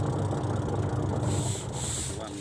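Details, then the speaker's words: LG twin-tub washing machine after reassembly and refitting the spin-dryer lid: steady low motor hum with a smooth, even drone and no knocking or scraping. Spin dryer running normally. "อ่าเรียบร้อยปั่นสั้นปั่นยาวอยู่นี่เนี่ยนี่ธรรมดาเราจะเอามาๆแหลกไปหน่อยเราก็หมุนมานี่ปั่นหมาดโอเคเนาะ"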